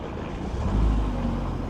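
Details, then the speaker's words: 2009 Lamborghini Gallardo LP560-4, 5.2 L V10, fire-damaged auction car, after fixing jump-start ground: rumble swells as it catches, settles to steady low idle without stumbling; normal start and idle. "It runs, I mean, yeah."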